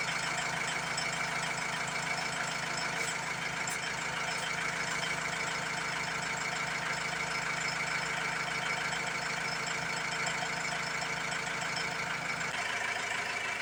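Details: Ford Transit MK7 2007 2.2 TDCi diesel, after new injectors were fitted and lines bled: lumpy idle beat of about three pulses a second, then the engine note drops away near the end; rough idle and stalling persist, cause unconfirmed.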